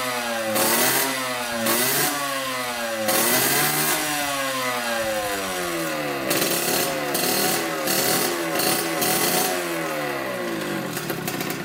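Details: 1986 Yamaha YSR 50 two-stroke, just bump-started after reinstalling the carburetor and priming with premix: revs up and drops back crisply again and again, picking up cleanly with no bogging. Running strong and normal.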